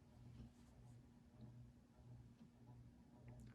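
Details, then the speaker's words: Old Jacksonville Jackson 52-inch ceiling fan after its dry motor bearings were greased: faint steady low motor hum with an occasional slow tick; owner unsure if it is the variable speed control or something rattling inside. "as you can hear it does hum a little bit and I'm not sure like I said if that's just because of the variable speed or if there's something rattling around inside but it's not terrible"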